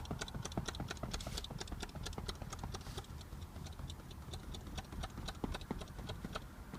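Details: Audi A4 8K (B8) rattle from the passenger seat back under the headrest while driving: rapid irregular light clicking and ticking, about two raps a second over low road rumble, a loose seat-back rattle.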